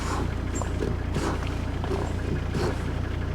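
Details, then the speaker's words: 2003 Volvo XC90 D5 diesel braking on the road after stripping and cleaning the front brake calipers: steady low diesel rumble with cabin rattles, no creak or groan from the brakes, so the caliper creak is cured. "No, stripping that down and cleaning it up seems to have cured that."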